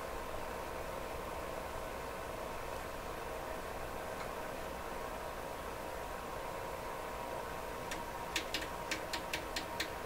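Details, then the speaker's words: Canadian General Electric KL-96 tube radio with all paper capacitors replaced, fed RF modulated with a 400 Hz tone: only steady speaker hiss, no tone, though it tunes to the signal; detector stage failing to demodulate. "There's no audio tone making it through the radio. Right now I'm transmitting into it a RF signal that's modulated with 400 hertz tone, so we should be hearing a low tone coming out of the speaker."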